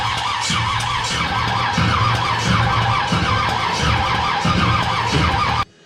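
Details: Chevy small-block nitrous drag car engine, first start attempt, fuel pump on, distributor wire untested: slow even cranking pulses about every half second with no catch; cranks but won't start, timing then advanced; cause suspected, not confirmed.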